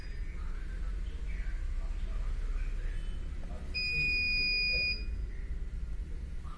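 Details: CP Plus DVR (KVMS Pro app): shrill steady electronic beep for about a second over faint room background; the recorder's alarm buzzer going off, to be switched off in KVMS Pro.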